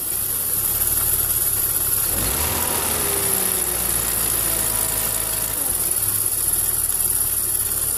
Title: Bmw 320i E46 weird engine sound